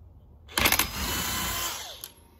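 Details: Alternator bearing spun in a vise with a DeWalt 1/2-inch cordless tool to listen for bearing noise: a short, smooth, even whir spinning up and coasting down with no grinding or roughness; bearing healthy, whine on the Honda was the AC compressor.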